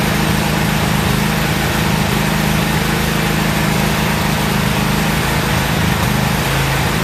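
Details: Year-old Toro zero-turn mower after new spark plugs: loud, steady drone with a slightly uneven, wavering beat that dips near the end. Pulling the choke out a little for extra fuel helped smooth it, but it still runs somewhat rough.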